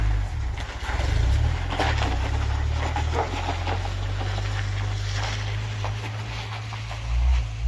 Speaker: Now this is him going down the road. That's not bad at all. I don't even know if you can hear it on the camera, but you know, that's pretty good.